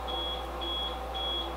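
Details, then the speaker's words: APC Smart-UPS 3000 RM XL on a DIY 48V powerwall, switched on with a loud 120mm fan: three long steady high-pitched beeps about half a second apart over a low hum; UPS alarm beeping, later disabled via PowerChute Business Edition. "hey I know that sound beeping has got to go right now"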